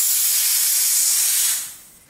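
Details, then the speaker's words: BSA R10 SE PCP air rifle just filled to about 230 bar, valve shut: a sharp, steady hiss of air bled from the fill line for about a second and a half, then quiet. Normal pressure release before removing the probe. "now turn it off there's no we're flowing now but there's still pressure in this pipes I can't pull this out yet I need to release the air in the pipe with this"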